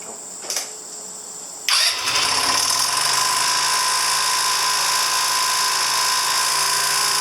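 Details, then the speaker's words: 2009 Genuine Buddy 125 scooter after CDI replacement (CDI was the fault): starter whirs briefly, engine catches at once and settles into a steady, even, buzzy idle; starts right away and idles fine, though it still bogs at high end. "It's definitely starting up right away. It'll definitely idle fine."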